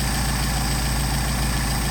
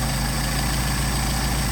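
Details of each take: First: Mercedes 190SL with rebuilt Solex carburetors, idle around 700–750 rpm, idle mixture screw turned in during adjustment: low uneven idle sags and stumbles nearly dying, rpm recovers when backed out; lean idle stumble. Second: Mercedes 190SL rebuilt Solex carbs (from a 39,000-mile car, new throttle shafts), idle about 750 rpm during idle mixture screw adjustment: even low rumble with steady firing, no stumble, rpm picking up; normal idle.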